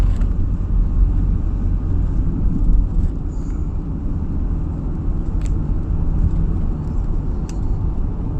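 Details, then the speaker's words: 2008 Toyota Kluger/Highlander after front strut repair, driving over bumps. Steady road and tyre rumble with no knocks or clunks over bumps; normal suspension. "okay guys no more knocking noise guys so our problem is pigs all right guys right now so many about guys we cannot hear any knocking sound guys"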